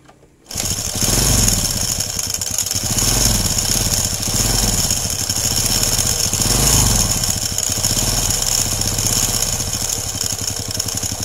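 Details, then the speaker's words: Honda Legenda/Grand/Supra-type small motorcycle idling with a busy metallic clatter over its putter; diagnosed slack timing chain, worn large timing chain roller and worn small roller behind the magneto, all to be replaced. "Nah, ini untuk berisiknya saya analisa adalah di bagian rantai timing yang sudah kendor, terus di bagian roll besar ya yang di sini itu sudah kendor, atau juga bisa di roll kecilnya di dalam magnet itu sudah sudah aus ya."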